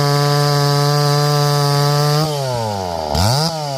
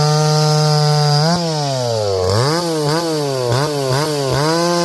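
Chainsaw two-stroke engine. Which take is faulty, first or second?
first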